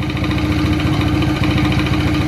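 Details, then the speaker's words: Ogar 900 moped two-stroke engine, first run: busy even idle burble with steady low hum, not smoking, warming up normally. "żeby najśmieszniejsze tym wszystkim nie kopci poczekajmy chwilę rozgrzeje się zobaczymy"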